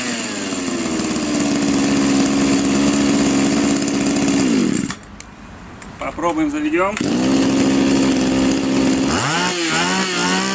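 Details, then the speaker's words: Champion two-stroke trimmer after idle carburettor adjustment: it had stalled at idle and was flooding, so the fuel screw was turned in to lean it. It now holds a steady, even high drone and revs cleanly. The screw likely backed out from vibration. "Ну вот в принципе тример работает нормально скорее всего данный винт регулировки просто открутился от вибрации со временем или человек уже сам его накрутил"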